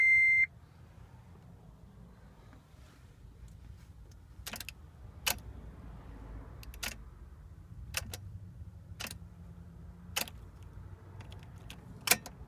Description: No clicking sound, nothing at all when I turn key...